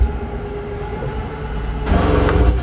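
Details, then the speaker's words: 2022 Palomino Puma 28BHSS travel trailer slide-out motor in normal operation. A steady motor hum and gear whir as the slide moves, then a brief louder rumble. "hear the little gear grinding noise that means you're fully extended"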